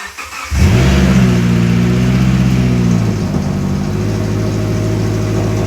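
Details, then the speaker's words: First start of a 2013 Subaru Forester after a swap to a 2018 phase 2 FB25 engine, with no exhaust fitted. It catches, flares to a loud deep rev, then settles into a booming, truck-like idle with no engine codes. "it doesn't have an exhaust so it sounds like a [Music] truck"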